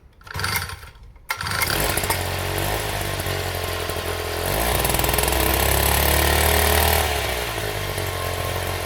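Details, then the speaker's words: 1960s Fuji-Motor Go-Devil folding minibike, two-stroke, just after clutch assembly: catches after a few pulls with choke and settles into a steady, even buzzing idle with no misses; the wheel does not turn at idle. "we've got the bike just idling, and as you can see, when it's basically idling, the wheel is not moving"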